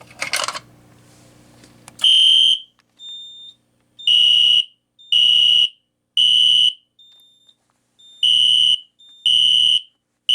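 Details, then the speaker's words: System Sensor P2475 SpectrAlert Classic horn strobe on a Kidde FX panel, tripped by a Simplex pull station: harsh buzz bursts in a code-three pattern, the first buzz higher-pitched, then lower in the sequence, sounding raspy; cause unknown. "the first buzz like was like higher pitched and then when it went went into the code three sequence, it went it went in to lower pitch."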